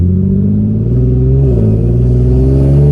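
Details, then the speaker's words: Infiniti G37 with ARK Grip exhaust: loud, raspy exhaust rumble rising with revs under acceleration, from two exhaust leaks, one at the flex pipe and one at the mid pipe. "i just thought the exhaust was super loud and uh a friend of mine's as soon as i pulled up to his house he said damn dude you got an exhaust leak"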